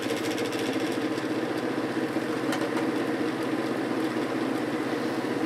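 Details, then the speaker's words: 1950s GE F11W3 reversible window ventilator fan, 2.5 A shaded-pole motor, on 119.8 V, before oiling: steady mid-pitched hum pulsing cyclically with light ticking as it speeds up; owner hopes oiling helps, believes bearing is tight. "the motor has allowed a cyclic hum when it's speeding up so hopefully oiling it helps a little bit pretty sure the bearing is nice and tight so that's not the problem"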